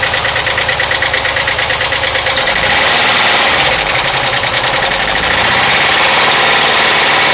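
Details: 1991 VW Vanagon 2.1L wasserboxer at idle: sharp, fast, loud ticking about three per second from the left side of the engine compartment; owner suspects hydraulic lifters, unconfirmed.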